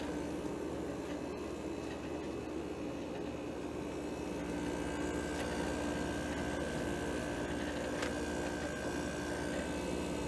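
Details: GE window air conditioner running on cool after the thermostat clicks: steady hum with a constant low tone and smooth fan noise, no rattles or squeals; unit running normally.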